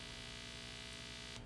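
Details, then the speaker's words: P bass guitar gives a constant low hum with a harsh high buzz, grounding/interference noise that stops when touching the strings or bridge; fixed by shielding the electrical cavity with copper tape. "but stops when you touch a piece of metal like the bridge or the strings then you've probably got grounding issues"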